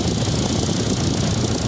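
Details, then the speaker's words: 2014 Chevrolet Tracker radiator fan after replacing the motor that chirped like a cricket when hot, cycling on and off. Steady even whoosh over the idling engine with no chirp or squeak; normal radiator fan. "sem Grilo lá tá ligado ele faz isso ele liga e desliga a ventoinha parou de novo"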